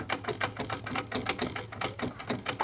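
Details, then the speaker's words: Honda Beat carburetor scooter, about 2010–2012: rough, uneven crunching clicks from the CVT case as the rear wheel is turned by hand, from worn bearings; final gearbox found destroyed. "nah itu keluhannya motor ini berisik di bagian CVT nya guys bisa didengar baik-baik ya saya dekatkan disimak baik-baik saja supaya tidak gagal paham ya saat roda diputar dia bunyi di bagian baknya"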